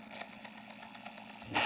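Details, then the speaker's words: Four-band radio receiver plugged in, no station on any band: faint steady hiss with no voice, then a short loud crackle; band switch not making contact. "lipat natin sa AM. Yan o, wala stasyon. Ayan o, wala."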